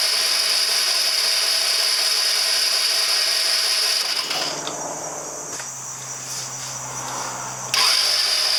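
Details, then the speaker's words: 2009 Genuine Buddy 125 scooter with spark confirmed, compression sounding good and the carburetor already cleaned: the starter whirs and the engine spins over repeatedly but never fires because it is getting no fuel; crank, no start. "Yeah, so it's not getting any fuel at all."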